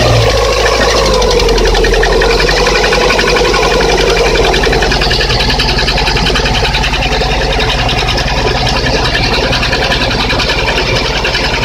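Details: Lada 21126 engine with STK pistons, only 15,000 km, cold: stethoscope finds cylinder 1 knocking at top dead centre as piston rocks over, sharp dense rapping ~3.5 per second; piston slap, pistons believed sagged.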